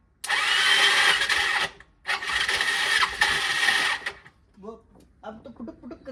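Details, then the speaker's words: Old Bajaj Pulsar, used original-size intake manifold from a scrap dealer fitted: two bursts of smooth, high, even whirring with no compression beats as starter spins freely; suspected starter not engaging properly with magneto, one-way starter clutch problem. "इसकी आवाज सुनो इससे मुझे लग रहा है कि ना जैसे जो स्टार्टर है ना व एंगेज ढंग से नहीं हो पा रहा है"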